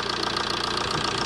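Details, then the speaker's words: 2011 Ford Transit Connect 1.8 TDCi diesel, second-hand replacement engine at 87,000 miles, after injector seal replacement for a suspected air problem. Steady, even idle clatter with a regular beat and no stumbling. Idling smoothly. "But as you can see, it's running quite smoothly. Seems to be alright. Doesn't seem to be any leaks."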